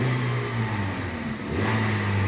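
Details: Citroën C3 1.5 2016, 69,000 km, after repair of engine noise (fourth cylinder found full of debris): revs up and settles with an even clean note, no knocking left; noise resolved, sounds healthy.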